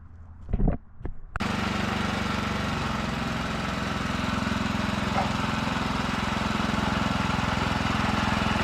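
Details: Old Ditch Witch C99 trencher with Wisconsin engine, started after sitting: a couple of cranking bursts, then catches and settles into a steady, even chugging run with loud open exhaust.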